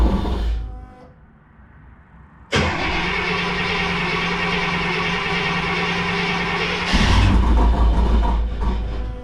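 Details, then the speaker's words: Rambler with Holley Sniper EFI, about three years after install, starting: engine catches and a loud steady belt squeal rides over idle, the belt slipping on a painted pulley; heavy voltage drop during starting also noted. "Alright, so I have a pulley that's very loud. I apologize for that. It doesn't like my painted pulley in belt."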